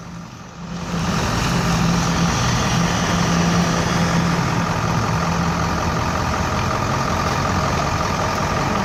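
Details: 2007 GMC 4x4 truck with a rough, rapid front-end snapping under steady running noise, from a front hub wheel bearing with a broken ball; bad enough to stop the truck rolling.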